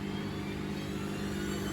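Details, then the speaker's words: Bosch WFF1800 washer draining on an empty 90 cotton cycle: steady motor hum with a coarse, buzzy rattle from the drain pump as water pumps out. "You can hear the pump rattling along with the motor there."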